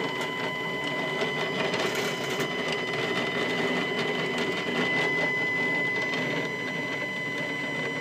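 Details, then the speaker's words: New Stepcraft 840 CNC, Y axis homing after snugging the fasteners: steady high stepper whine with rough gritty rasp; rail grinding, cause not found. "now let's see if it'll go back and clear clear that and now we're going to go back boy does that sound like [Music] crap"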